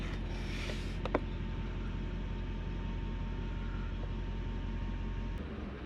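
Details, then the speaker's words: Toyota Soarer / Lexus SC400 1UZ-FE V8 that stalls after sitting a few days, not fully warm: low, lumpy idle surging then sagging and dying; air leak after recent disassembly suspected, fault codes unchecked. Unstable idle. "you know it's just holding it idle now it's warmed up a bit and then it doesn't i'm gonna sit here i'm gonna warm it all the way up see if it actually holds an idle"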